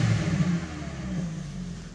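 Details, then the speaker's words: MK4 VW Golf GTI 2.0 8v petrol (AQY), 92,000 miles, just started after crank sensor replacement fixed crank-no-start: strong clean rev falling smoothly to idle, loud deep exhaust, no misfire, rattle or knock; healthy. "crank center easy fix i won't run it too much it's just started up the lights work the engine sounds good"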